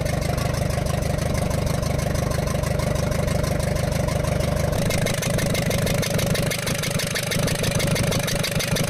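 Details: Ashok Leyland Captain 4923 BS4 truck diesel, low pickup and smoke, turbo removed: sharp regular tap about three a second over idle clatter; valve bridge on first rocker from rear fell off, raw diesel from that cylinder.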